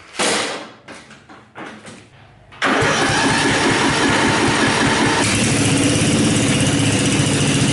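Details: Older Craftsman riding mower, 13.5 hp Briggs & Stratton flathead, first start after valve repair and valve lash adjustment: a few cranking bursts, then it catches and settles into a steady, even run; healthy.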